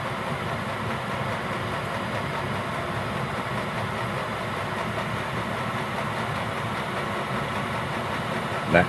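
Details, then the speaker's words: Gearlasso 8kW 12V/24V Chinese diesel heater in manual gear mode, warmed up after about 18 minutes, at program 10 maximum output: constant even fan and burner roar, pump speeding up, no surging, pops or rattles; normal full-output run. "And you'll hear the pump start speeding up cuz this is now at the highest level output."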